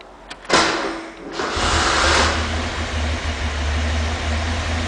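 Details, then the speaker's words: 1977 Alfa Romeo Spider S2, two-litre twin-cam engine, original starter motor: lazy, dragging, uneven crank before the engine catches and settles to a low hum; the original starter is struggling. "see I don't know if you heard that but when you start the car it should be like a constant Blum Blum Blum Blum Blum until it starts but it's the starter motor that's on it which is the original one is struggling quite a bit"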